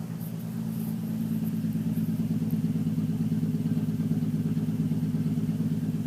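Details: Nissan 350Z petrol engine revving with an uneven, stumbling misfire beat and a faint slight knock riding over the exhaust note, recorded in a dark garage.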